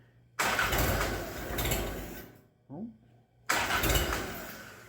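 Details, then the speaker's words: Minneapolis Moline BF tractor after in-frame engine rebuild, somewhat warm, cherry bomb muffler removed: two long cranking bursts, never catches; owner suspects too much choke. "too much choke maybe she's kind of warm now so maybe so"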